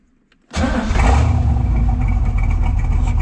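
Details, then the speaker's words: 1967 Corvette C2 convertible, fully rebuilt 327 V8, 300 hp, side-pipe exhaust, Muncie 4-speed in neutral: cold start, brief crank then strong lumpy V8 rumble; starts right up, normal. "We'll go ahead and start it up here so you can hear it. Again, it is a cold start."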